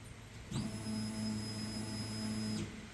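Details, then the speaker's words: 1986 Chevy Suburban LS swap, new fuel tank just installed, key on without starting, very little fuel in tank: steady electric hum about two seconds then clean cutoff; in-tank fuel pump priming normally. "you can hear it running all right off and on working pretty good"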